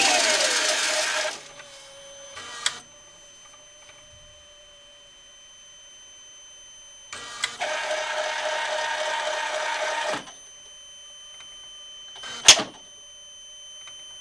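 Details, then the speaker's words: Compucarve CNC with 1/16 bit running its surface-finding routine: short bursts of buzzing stepper drive with quiet gaps; sounds like something breaking but is normal. "don't like that sound it just sounds like something breaking i don't know why it does finding surface you"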